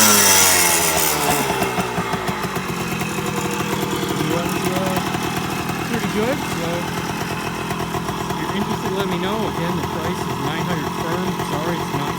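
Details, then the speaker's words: Restored 1978 Kawasaki KE100 two-stroke, started on a roughly 90-degree humid day, spark arrestor missing. Crisp ringing buzz idles, then revs up and back down cleanly with steady firing; engine runs great. "the engine is pretty clean and runs great as you'll see here in a moment"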